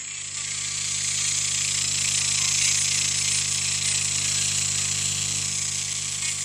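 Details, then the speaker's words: Orion R545A valve radio chassis under repair, ECH81 tube: loud, even hiss over a steady low hum with the station barely audible; very weak reception from a suspected circuit interruption between the antenna input and the rest of the circuitry. "yes it's still very faint but um no matter now that i know that the radio functions basically"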